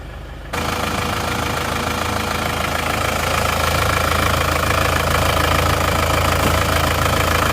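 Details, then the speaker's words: Isuzu Panther diesel with severe blow-by after running out of radiator coolant, fitted with a large oil catch tank filling quickly: loud steady idle with heavy clatter and a rhythmic crankcase chuffing, about three puffs per second; severe blow-by. "penasaran bagaimana kah ngobosnya Kok sampai dipasang OCT segede ini yuk kita starter"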